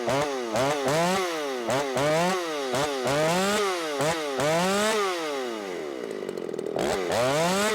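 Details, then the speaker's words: Ported Shindaiwa 757 chainsaw, 24-inch bar, C83 chain, 8-pin sprocket, low side leaned out: revs up and bogs repeatedly, choked; flat-cut muffler mod outlet sits against the log and can't breathe, restricting exhaust. "one thing I will will say I kind of screwed up on the muffler mod with this because I cut that off at a flat angle and so it looks cool but you could probably hear it it was getting right up against the log and it can't breathe"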